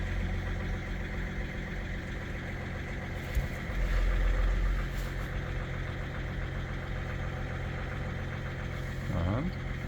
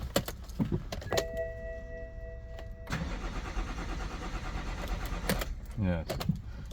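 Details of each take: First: BMW E61 that sat about two months and would not start after a new battery, started after clearing fault 4A63 (EWS tampering) with a diagnostic tool: deep, steady, even idle with a low rumble and no knocking, sounds good. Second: BMW E61 diesel after two months standing and a new battery: chimes and clicks, then a short steady crank that never catches; fault 4A63 EWS tampering, with the immobilizer blocking start, fixed via the DME-CAS adjustment.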